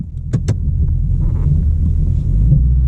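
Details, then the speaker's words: A 2021 Mustang Mach 1 with a 10R80 10-speed, rebuilt under warranty, at 21,000 mi (about 1,000 since the rebuild). Sharp clunks are heard while driving, with harsh 1–2 upshifts and downshifts still present. "so there's still that clunking thing going on and uh the harsh downshifts and up shifts on one and [Music] two"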